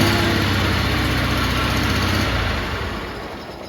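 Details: Snapper riding mower engine, hood down: loud, even low-pitched drone with a coarse, blatty edge that fades away; exhaust leak from an unrepaired hole, before repair.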